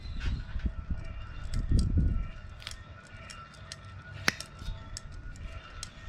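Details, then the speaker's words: Uneven ticks and low gritty grinding as the removed, loose fan clutch hub from a Series 60 Detroit in a 2007 Freightliner Columbia is spun by hand; bad internal bearings, hub near failure. "you hear them ticking do you hear the grinding in there also even though this is spinning around freely this hub was not far at all from exploding"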